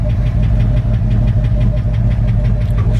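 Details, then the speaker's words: 1981 Ford F-100, 302 two-valve V8, automatic, at startup idle: light even ticking about five times a second over steady idle, oil pressure present; engine tick, to try oil change and additive. "You can hear the engine tick. You can hear the little engine tick it's got there."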